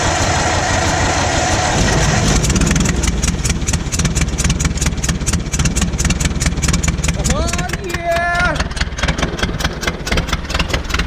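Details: Old Massey Harris petrol tractor, sat 4–5 years, after distributor work: slow cranking, then it catches and settles into a steady, even putter with some loose clatter. Normal running after first start.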